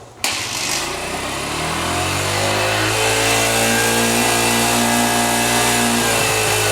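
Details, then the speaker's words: 1980 Honda XL80 dirt bike with rebuilt carburetor, started after five kicks: crisp, even single-cylinder beat climbing cleanly with throttle, no misses or pops, idle slightly off; sounds like a sewing machine, running normally. "Listen to that, man. Sounds like a sewing machine. What a fantastic little bike."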